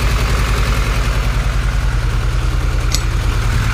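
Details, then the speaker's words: Supercharged Honda Integra at idle on first start after the rebuild: rough, uneven, lumpy stumbling idle, a misfire later traced to two spark plug wires swapped. "is misfiring Oh all right well looks like we had a misfire I do not know why"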